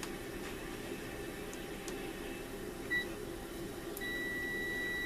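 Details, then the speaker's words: Continuity tester on a homemade aluminum-arrow dipole antenna for ham/GMRS: a brief chirp, then a clean, steady high squeal over quiet room hum, confirming good end-to-end contact through each element. "To make sure I'm getting good contact from end to end, you can hear the squeal. There's the other one. So both of my antenna elements are good to go."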